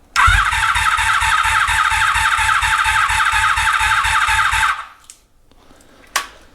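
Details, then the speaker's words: 1983 Honda Magna V45 during rebuild, battery reading low, fuel flow in doubt then confirmed: starter churns in quick even pulses for about four seconds, engine never catches; battery almost dead. "okay no I got fuel now update battery's almost dead going to go grab a new one"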